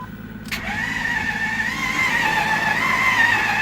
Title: 08 6.4 theft light crank no start